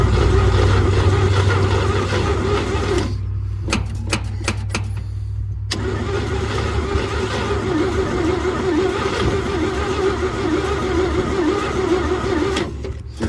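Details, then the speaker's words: 1949 Chevy truck, first cold start attempt after 24 years sitting, oiled cylinders, jump box, fuel from can: cranks, fires briefly, sputters unevenly, won't run; fuel pump not drawing fuel, diaphragm suspected. "Huh. Still not drawing any fuel. Well, let me tinker around. We'll try again."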